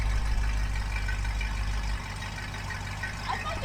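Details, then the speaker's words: 1973 Dodge 318 V8 that ran again after 10+ years, after changing old oil and filter for low oil pressure: low, even burble at about 700-750 rpm idle, steady beat, no knocks or ticks; normal idle. "there you go that's better huh that was really good doesn't it sound good"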